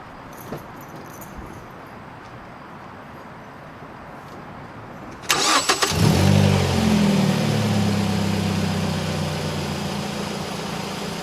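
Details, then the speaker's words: Mazda3 petrol engine starts and settles into a rough, uneven idle with an obvious misfire, caused by a loose bracket letting the ignition coil drop down. "all right so right there you can hear the misfire happening it's very very obvious"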